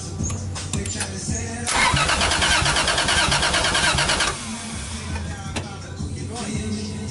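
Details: Lexus IS300 with a 1JZ-GTE engine: the starter cranks evenly for about three seconds without a single catch, then quits; cranks but won't start. Fuel pump works; injectors suspected not firing, and the ECU got soaked.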